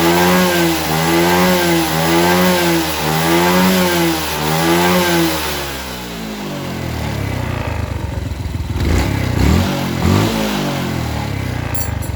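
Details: Suzuki Smash New carburettor motorcycle, previously burning excessive fuel with a blackened plug. After the air screw and idle adjustment, revs rise and fall smoothly and pick up cleanly with no stumble or popping; the carburettor is now set right.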